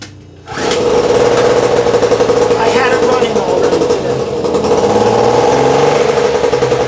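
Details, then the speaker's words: 1000 W two-stroke generator running unloaded: fast, buzzy drone holding a steady pitch and speed with no surging or rattles; normal running. "I'm going to start this thing up and I'm going to run my time out you get to hear what it sounds like and uh it's not a bad little tool to have"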